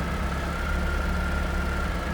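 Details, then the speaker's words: 1988 Pontiac Fiero, warm, smooth even low rumble at steady idle around a thousand rpm, no ticks or misses; sounds good, purrs like a kitten. "Sounds good, looks good underneath there. Purrs like a kitten."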